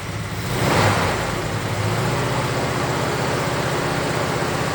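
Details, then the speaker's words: 1969 Chevelle SS big block, sat 37 years: uneven, loping V8 idle that keeps stumbling, missing on a cylinder. Pyrometer shows cylinder 3 coolest at about 350°. Owner suspects plug wire or carburetor debris and fears a lifter or valve issue. "So we got one cylinder that seems like it isn't filled with heat as good as the rest. You can see the motor's not running near as smooth as it should, so we'll be back."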